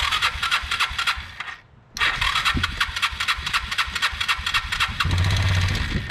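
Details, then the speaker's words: Kawasaki Bayou 220 ATV, new fuel petcock fitted, fuel on reserve, neutral light on: starter cranks in quick even pulses, pauses, cranks again and the engine catches; electric start working. "Whoa, I think it might work."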